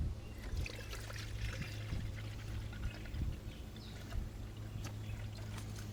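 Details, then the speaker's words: 2013 Jeep Wrangler JK just after water pump replacement and a 50/50 coolant refill: irregular trickling and gurgling of coolant over a quiet engine as trapped air is burped out of the cooling system. "we're letting it still uh burp a little bit you like that good baby good baby burp it out"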